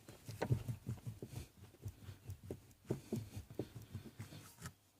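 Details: 2012 Toyota Tacoma: irregular dull low clunks, about a dozen in five seconds; knock in the steering column.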